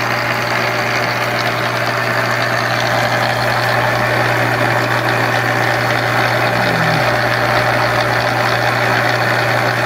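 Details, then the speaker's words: Monarch 10EE lathe during refurbishment, first run after installing drive tubes and power: steady machine hum with a loose, uneven rattle a few times per second from inside; loose internal part suspected, not located. "all right guys one more time so i definitely hear a lot of rattling around in here so i think what"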